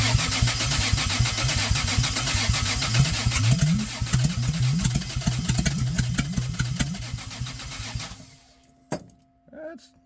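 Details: 2JZ six in a Geo Metro, adapted Chrysler slant 6 distributor, GM HEI module, Ford Duraspark coil, distributor one tooth off: lumpy uneven firing about two pulses a second, surging then stalling near eight seconds; rough running, owner suspects vacuum leak.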